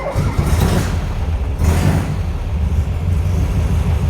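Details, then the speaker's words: 1964 VW Karmann Ghia outlaw flat-four after tie rods and disc brake conversion, gauge reading about 27–30 PSI; low steady burbling run after start-up, even beat, no knocks or misses, runs good. "yeah, fires up, runs good."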